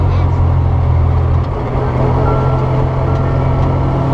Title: Gear Noise